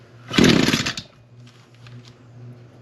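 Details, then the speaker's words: Echo PAS225 trimmer, cold start on half choke after priming: short raspy rev that never climbs to full throttle, then low lumpy idle; bogging from rich running, exhaust port to be checked. "Half choke. Okay. It definitely is not uh cranking out all the way."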